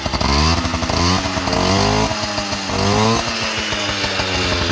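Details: Yamaha Towny two-stroke on its stock exhaust: raspy buzz rising and falling evenly with throttle, clean firing with no misses; healthy.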